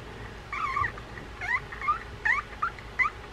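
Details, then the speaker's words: Shimano Spirex 4000FG spinning reel running stiff with no anti-reverse: sharp, irregular high squeaks like a trapped cat each time the handle turns, from a frozen main gear bearing rubbing the side plate; bearing squeal from seized bearing. "it sounds like a cat is trapped in there so we'll kind of see what's going on with this reel"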